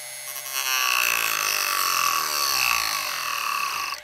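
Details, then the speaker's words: Jorgensen 120 V corded rotary tool (10,000–35,000 RPM, 6 speeds) cutting pine with a cutoff disc on low: the high whine drops and wavers as the disc bites, then recovers; the motor bogs under load, less so at 3, fine at 6. "You can hear it bogging down. Let me turn it up to 3. Still bogging down a little bit."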